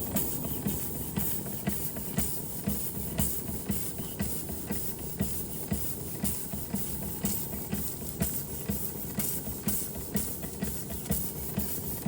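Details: Restored Josef Falk 456/1S model steam engine under steam with water pump working: soft steady chuffing about two beats per second with constant hiss; healthy, though the pressure gauge reads nothing.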